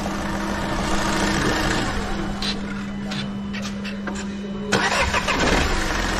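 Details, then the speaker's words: Volkswagen Polo diesel after fuel filter change and injector work: cranks, catches and settles into a steady, even idle with no odd knocks; starts perfectly okay, starting problem resolved. "तो hormone बिल्कुल okay start हो रही है"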